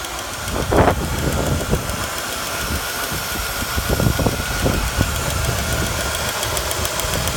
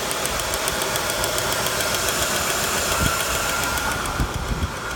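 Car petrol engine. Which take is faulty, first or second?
second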